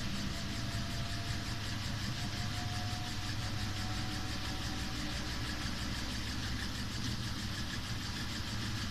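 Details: Samsung WW5300 (WW95T534CAE) washing machine, outlet unit on its second use: steady loud rumbling drone with a faint squeal over heavy low churn, very loud noise from the beginning.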